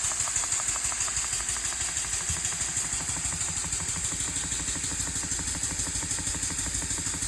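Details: Elmer's #33 model mill steam engine running on compressed air at about 20 to 30 PSI after final assembly: quick, even chuffing about three beats a second with steady high hiss; air leaking at cylinder head and packing nuts, gaskets to be made.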